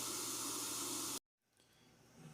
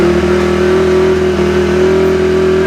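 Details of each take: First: 2004 Honda CRF250R, hard to start: leak-down test shows about 84% leakage, air hissing loudly out of the intake because intake valve clearance is too tight (spec .004–.006 in); valves are to be adjusted. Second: 2004 Honda CRF250R after valve adjustment back to spec (was hard starting), leak-down 6%: engine runs strong and even with steady firing, settling smoothly off throttle; normal running.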